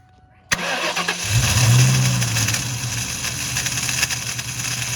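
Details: 2001 Mustang GT Bullitt, clutch cable removed to rule out the throwout bearing: the engine catches and a harsh, continuous metallic grinding rides over the idle. The starter is staying engaged and grinding on the flywheel.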